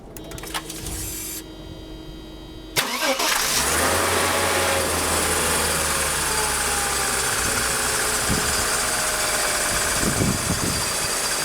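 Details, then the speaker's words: 1995 Mercedes E320, M104 engine, non-ASR, with shorting throttle-body and MAF wiring (MAF unpowered), cold start after sitting a day: catches quickly, steady smooth idle, louder with airy hum from the air pump running. "well, as you can see, the car started right up. Runs pretty smooth. Air pump is on right now, so it's a little louder."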